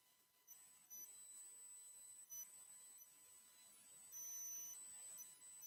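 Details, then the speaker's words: Microphone squeal on a livestream: faint, very high whistling tones coming and going over a quiet background; the problem was thought fixed the day before, and the owner wonders whether a fan or his hearing aids cause it. Cause unknown. "I do not know what is into this thing we had it beat yesterday I wonder if the fan is causing the noise or maybe my hearing aids"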